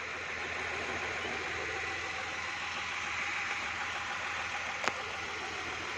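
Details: Renault Triber 1.0-litre three-cylinder Energy engine heard from inside the cabin at about 800–1000 rpm idle: very quiet, smooth, even with soft hiss and no knocks; normal idle.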